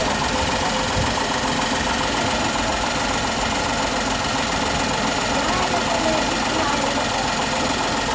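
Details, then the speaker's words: Tata Tigor BS6 three-cylinder petrol at idle, noise meter reading max 60 dB, average 51 dB: busy but even idle with some valvetrain chatter, no stumble or knock; normal idle. "so the maximum level is 60 and average is 51 60 is good"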